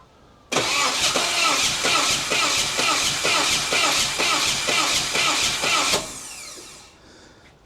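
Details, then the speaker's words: 1988 Saab 900 Turbo that sat long and is hard to start, external starter button used, spark confirmed: strange rhythmic raspy cranking; owner suspects electrical arcing, fuel tested and ruled out; abnormal cranking noise, cause unknown. "I think it's electrical something is like arcing or something maybe I don't know or is it fuel"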